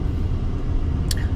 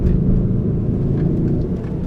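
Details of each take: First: Honda Element/CR-V after replacing both front wheel bearings (the passenger side was the bad one): a steady low road rumble while cruising, with no growl or hum from either side when the load shifts. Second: 2004 Honda Element on the road: deep steady droning hum under road rumble, louder when steering one way; noise traced to a front wheel, though no play found; wheel bearing suspected.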